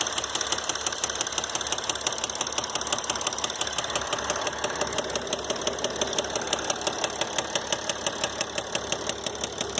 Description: Is your Mercedes Diesel making this noise? My 2012 GL350 did after only 125k miles. If you're here looking for the cause of that noise, I have bad news: It's a rod bearing and the dealer will want to drop in a new motor for about $20k.